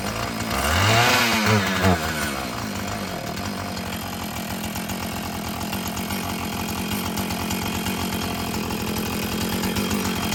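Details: Husqvarna 445 chainsaw that had bogged when throttled, after cleaning and tune-up: a quick rev drops back to a crisp, even two-stroke idle with no bogging or hunting; it sounds healthy, though it may need adjusting as the diaphragm loosens.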